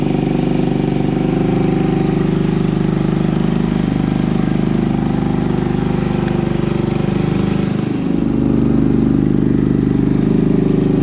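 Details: Honda ATC 200ES single-cylinder, long unused and previously dead, just fitted with a Chinese carburetor: fast steady idle set too high; idle to be dialed back, air-fuel mixture may need adjusting.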